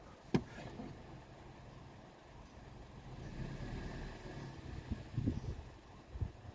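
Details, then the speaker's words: Toyota petrol engine after a performance cleaning, previously running rough and noisy: low, even idle hum with no misses, ticks or knocks; now running very smooth, no fault codes. "Running rough, it was making noise, you know. Yeah, well, it's not making a noise"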